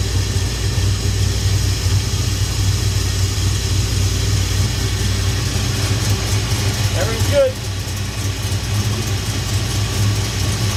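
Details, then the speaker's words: 1969 Chevrolet Chevelle V8, fresh build: deep, even idle burble running through the mufflers with exhaust cutouts closed, no knocks or misses; healthy engine. "sounds good I don't have the because the dashes in I couldn't open the exhaust cutouts so it's running through the Mufflers right now"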